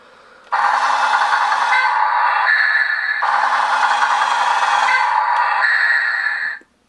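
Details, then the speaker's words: Newray RC Volvo A40D dump truck, original steering: two bursts of high gear whine, each settling into a buzzy chatter at the end stop as the motor pushes to the physical limit and a slip clutch slips. "it just the motor pushes until it hits the physical limit and then some sort of slip clutch prevents it from uh from going the rest of the way"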